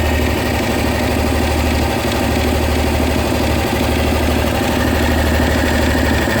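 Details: Honda SH 300i scooter at idle: light, fairly quick tick about three per second over the engine note; mechanics say it's nothing, owner believes something is wrong; cause unknown.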